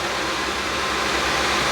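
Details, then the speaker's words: Lenovo ThinkCentre M91p with an i5, running Windows 10 at idle: a loud, constant rushing whoosh that never eases; the cooler fan is stuck at full speed. "Yeah, it's annoying that the fan is so loud. I don't know if you can hear that or not."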